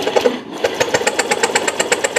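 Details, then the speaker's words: Fuel-injected motorcycle brought in dead, no-start: even cranking at about seven beats a second that never catches; plug found dark, drowned and not standard, spark appears but may be weak; fouled spark plug. "oke keluar kan keluar apinya kan tapi keluar itu kan Apakah bisa bermanfaat atau tidak"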